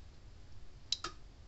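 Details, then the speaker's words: Red Snap'r 25 mile fence energizer on the bench, fence tester across terminals reading about 9500 volts, transformer good: two short sharp ticks in a quiet room, crisp pulse clicks; normal energizer pulse. "all right getting 9500 volts out of the thing"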